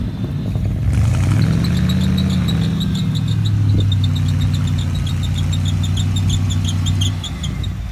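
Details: 1975 Ford F-100 V8, abandoned for 17 years, on its first start attempt: it fires at once, revs up, then settles into an even, steady burble with no misfire or knock. Normal idle.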